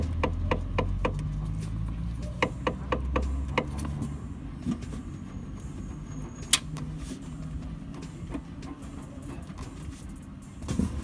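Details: 2019 Toyota Etios X Plus sedan, automatic, two months old: sharp, regular suspension clicks about twice a second over low road rumble, then fading. Source unknown; the dealer says the noise is a characteristic of the car.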